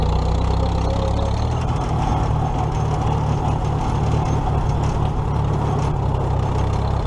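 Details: Old tractor (the H) idling after alternator repair (loosened nut fixed), before the 2017 Nowthen Threshing Show; steady even low rumble, no knocks or misses, smooth and healthy – normal idle.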